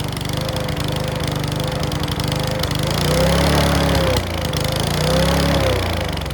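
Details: Mountfield V35 150cc mower (HP414, 38cm cut) after a carb clean; engine surges unevenly with irregular pops and a rattly clack on the beat. Owner suspects the carb needle needs sorting; possibly low on fuel. Not confirmed.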